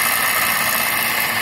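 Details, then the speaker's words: Suzuki All New Ertiga / XL7 petrol engine idling: rough, raspy whirring from the V-belt tensioner area, most likely a worn tensioner bearing, before replacement. "nah ini ketika mesin hidup di sini ada bunyi kasar ya nah jadi untuk bunyinya itu timbul di area sini ya ini kalau di sini dia ada satu bearing atau Tensioner ya Tensioner fidelnya dan Ini kemungkinan besar ini rusak dari beingnya"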